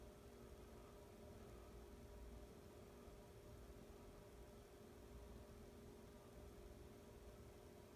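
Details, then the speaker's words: Emerson Heat Fan K63 52-inch four-blade, two-speed ceiling fan, restored: very quiet, even whoosh with only a faint steady motor hum audible up close; running smoothly and healthy. "very little buzz and huntin very little hum on this you have to go right up to it demon hear it"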